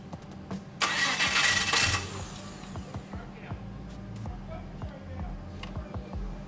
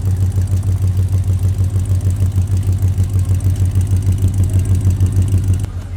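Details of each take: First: LS-swapped HT Holden station wagon, first start attempt: two bursts of steady starter churning with no firing; V8 cranks but won't start, no fuel because the fuel pump was the wrong way round. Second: The LS V8 swapped into an HT Holden station wagon, at its first runs after fitting: a low, steady, slightly lumpy idle at about three pulses a second. It sounds smooth and healthy, with no faults heard. Transmission cooler oil leaks were noted.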